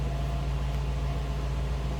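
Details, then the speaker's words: 1956 Lincoln Premiere Convertible, 368 cubic inch 285 hp V8 with 401 lb-ft, heard from the rear with exhaust exiting through the chrome bumper; deep even burble with a steady low hum, no misses or knocks; normal idle. "Slip around to the back so you can hear this run. Remember that 368 cubic inch, 285 horsepower V8 with 401 pound-feet of torque."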